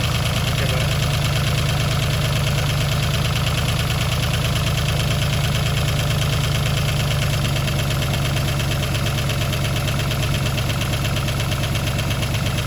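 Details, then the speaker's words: Rebuilt V8, about 3000 km after rebuild, cold start: steady, even deep idle with only a very slight faint tick while cold; lifters sound healthy. "that's not bad that is not bad still a very very slight there but it is cold"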